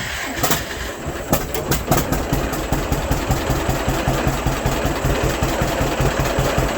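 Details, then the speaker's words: 1952 John Deere AH Hi Crop two-cylinder tractor, sat 15 years in a museum, started with choke and a little throttle to warm up: catches after a few uneven pops, then settles into a steady low chug; normal idle. "Old girl sounds pretty good to me."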